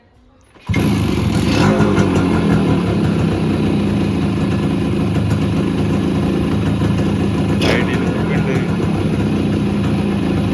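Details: Kawasaki KB100 two-stroke motorcycle during carburetor tuning: engine catches at once and settles into a steady even idle without dipping or hunting.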